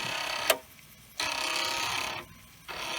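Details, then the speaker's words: Commodore 1541 disk drive in endless track 1–35 head-seek torture test: sharp clunk as head stops, then buzzy stepping chatter with quiet gaps; drive intermittently failing tests, owner suspects adjustment or alignment is needed, unconfirmed. "at the end you hear that clunk i don't think you should be doing that that leads me to think there could be some adjustment required perhaps"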